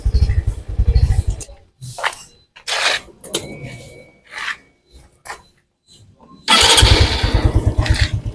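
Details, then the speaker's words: Honda Supra X 125 PGM-FI single-cylinder motorcycle after cam chain (rantai keteng), tensioner roller and clutch replacement, test ride in third gear: steady, even beat with the earlier chain rattle gone; normal running. "Jadi untuk suaranya ya tidak seperti kemarin suaranya Suara ngecrek di sini sudah tidak ya sudah bersih suaranya sudah tidak seperti kemarin"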